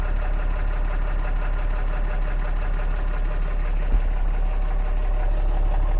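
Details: 2014 Cummins 6.7 diesel idling after a CAT 1R-0750 fuel filter install on a BMP adapter housing, primed to about 10–11 psi and checked for leaks: steady, even, unchanging clatter with no misses or knocks; healthy idle.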